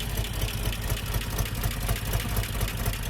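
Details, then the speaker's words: 1988 Jeep Comanche Renix 2.5L I4 after fixing skipped timing chain and broken tension pin: rough low rumble with an uneven loping beat around two per second; runs, a bit smoother, possible misfire, rear plug looks black. "Cool. Well, it runs. That's something. Not bad. Cool. That's a little smoother, eh?"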